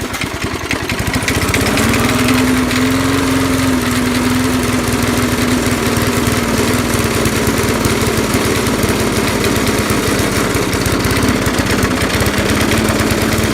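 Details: Lawn mower with carb mounted atop fuel tank and primer: revs up then runs unevenly, hunting and loping; owner suspects a cracked rubber elbow with holes, later heat-shrunk and hot-glued, may have caused the surging.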